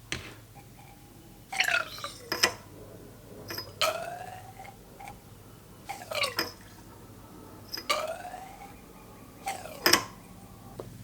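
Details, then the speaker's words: 2019 Honda Monkey 125 front fork during an Ohlins cartridge kit install with 220 ml of fork oil: irregular wet squirts and gurgles as the fork is pumped repeatedly to work trapped air out of the fresh oil. "it takes several rounds of working the shock up and down to get all the air out of there. You can kind of hear it. I keep going until I don't hear a lot of air swishing around in there."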